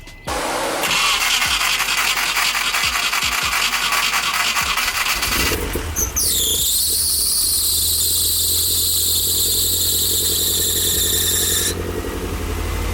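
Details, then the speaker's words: Nissan 240SX S13 after being retimed without a test light: several seconds of cranking, then it catches and settles into a steady, even idle with a high whistle over the exhaust drone, still smoking; normal start and idle. "it actually sounds even better than when i started before running really healthy"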